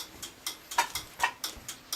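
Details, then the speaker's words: Homemade M301 fire alarm control panel set to code 3, march time: the coding relay clicks loudly, about four times a second and evenly spaced, pulsing the signal as intended. "pretty cool and you can hear that's the relay clicking right there it's pretty loud and then that turns our coating off when it's in the middle so that the horns don't actually pulse"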